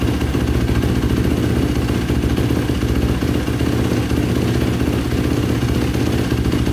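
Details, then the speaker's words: 2005 Yamaha YFZ450 ATV with a big bore, start after rebuild (owner suspected a clogged pilot jet). Steady single-cylinder thump at fast idle, even and clean, and no longer shutting off. Normal running. "it's not shutting off either like i did before so that's good"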